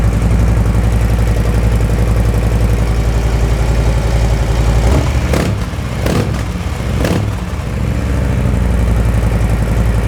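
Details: Brand-new 2024 Harley-Davidson Softail Low Rider S V-twin, cold, just after slip-on TAB Performance 2.25" exhaust install: loud, lumpy idle with even potato beat and quick throttle blips rising and falling cleanly; normal idle and revving.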